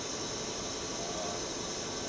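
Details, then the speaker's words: Milltronics RH30 vertical machining center, 40-taper spindle at 1,000 to 1,500 rpm. Smooth, steady airy hiss with a faint high whine and no knocks or grinding; the spindle runs quietly and is healthy. "You can hear it's a very quiet machine. 1,000. That's 1,500."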